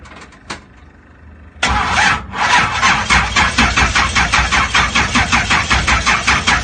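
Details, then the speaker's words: Blown 2000 HP Pontiac GTO on its first start of the day, with fuel reaching the rails and no leaks: steady cranking at about two and a half compressions a second for several seconds without catching, a hard start that always takes very long. "But for some reason, on our first crank up or our first start of the day, it's still taking forever to start the motor up."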